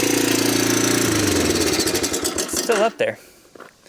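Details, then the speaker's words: 1987 Honda TRX250 Fourtrax ATV, single cylinder, no air filter and intake boot disconnected: fast, steady high idle that won't drop after backing off the idle adjustment; vacuum leak suspected, cause unknown. "either we got a vacuum leak somewhere I'm wondering because that's usually what causes a hiatal like that"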